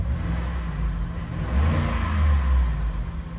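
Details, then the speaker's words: 2018 Ford F-150 XL Supercab, 5.0 L V8, 102k miles, warmed up, revved in place: deep, even rumble swells cleanly with each blip and settles smoothly, no knocks or misses; healthy. "Sounds great, actually. It's a 5-liter V8."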